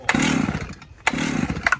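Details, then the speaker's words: Old chainsaw with likely 20-year-old spark plug and old fuel, choke up: short sputtering bursts on each pull dying within a second, never settling into a run; hard starting, plug and fuel replacement suggested. "I mean, that one there, I would change the spark plug. It's got to be old."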